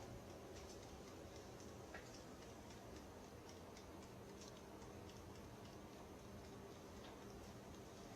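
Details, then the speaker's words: Home HVAC system during inspection: faint, fairly regular ticking over quiet airflow hum somewhere in the ductwork. Nothing seen in the attic, no water in the safety pan or moisture on walls; a flap or water slinging into the duct is suspected. "Okay. Hear that ticking sound? >> Yeah, >> I do, too. I didn't see anything in the attic."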